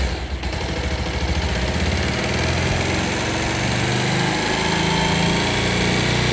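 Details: Bajaj Pulsar single-cylinder bike after piston ring installation for an engine sound problem: small single-cylinder buzz at a steady, even idle with no knocking or rattle; normal, healthy idle.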